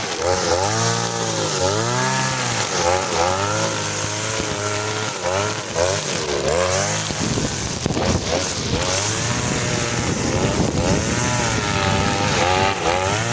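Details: Side-mounted two-stroke brush cutter with nylon line, carburetor mixture screw set for line: crisp buzz dips and recovers smoothly as it bites thick grass, cutting easily; healthy, well-set running under load.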